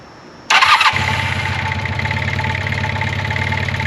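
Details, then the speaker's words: 1980 Honda CB400 T Hawk, non-runner's first start after carb rebuild and oil change, choke on, fuel in carbs: catches first try, even steady choked idle with smooth beat, no knocks or ticks; normal idle. "it's so awesome to hear this bike run I don't hear any bad noises with it it sounds like it's running nicely"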